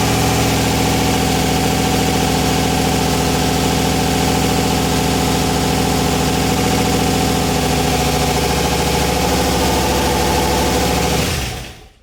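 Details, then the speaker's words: RX-7 (990 HP) just after first start following cracked-piston rebuild: steady, even engine note staying fast and never settling; high idle from misadjusted throttle blade, fix is adjusting the idle split. "all right it's got a really high idle because i shouldn't adjust the set screw i just need to adjust the idle split really quick"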